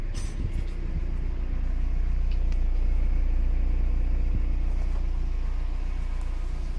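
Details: Mazda MX5 NB 1.8S idling after electronics refurbishment, having not run for 1 year (arrived on a trailer): steady, even low rumble with smooth unbroken beat, no misses or knocks; idles cleanly and healthily.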